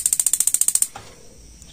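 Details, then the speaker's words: Gas water heater normal ignition: about a dozen quick sharp igniter ticks, roughly fourteen a second, then a soft thump as the gas solenoid valve opens under a second later. "suara dua proses ini yang pertama memantik yang kedua suara ini itu 11 andemen jadi pasti urutanya memantik DVD selang tidak sampai satu detik baru selenoid ini membuka"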